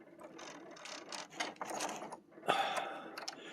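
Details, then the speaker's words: Restored 1991 Kalt Whisper RC helicopter, rebuilt frame: light, irregular clicking of small gears turning in quiet surroundings; gear mesh set just right, clean with no grinding or binding. "The mesh is just right. You can probably hear in the clicking sound that it makes, because the gear mesh is just right."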